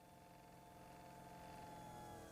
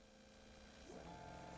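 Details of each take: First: Fuel pump on a test bench under current ramping, running at a slower speed then sped up as current changes: steady faint electric hum and whine creeping slightly louder as it pumps; normal fuel pump hum. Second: Electric fuel pump on a test bench with current ramping watched on a scope, pressure changed upward: steady electric whine that steps up in pitch as restriction rises and the pump speeds up, normal whine rising with load.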